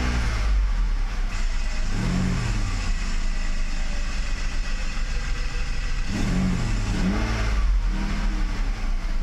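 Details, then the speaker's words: Mercedes 600SL V12 testing the E-gas throttle control module before throttle body rebuild, idle after start. Clean blips and a steady idle between revs, no misses or knocks; E-gas works normally. "let's give it some gas [Applause] all that looks very good to me"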